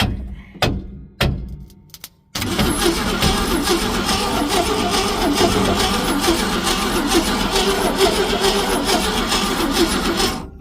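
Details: 1966 Ford Econoline, plug wire checked for spark: a few clicks then steady fast cranking, engine not seized but never fires; no spark, no power feed to the ignition coil.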